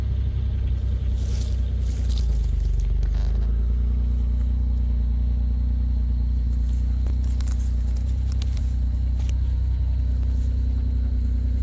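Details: Pontiac Grand Am 3400 V6 after a 65mm throttle body install and a new muffler with GMC Acadia exhaust tips: catches after a few seconds of cranking and settles into a deep, steady exhaust rumble with no knocks or rattles.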